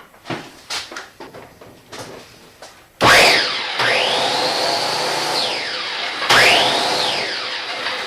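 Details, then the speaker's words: Snow Devil electric snow blower after repairing the broken activation handle and switch: sharp start-up, then a steady high-pitched motor whir with the auger spinning evenly; runs normally when plugged in. "elle tourne pas à peu près, là, cette petite souffleuse-là."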